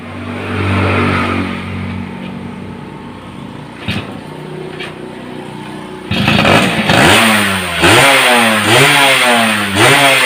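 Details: Yamaha F1ZR two-stroke fitted with a CDI Grand/Supra: crisp idle buzz then repeated clean blips without stumbling or backfire; former kickstart kickback gone, runs healthy.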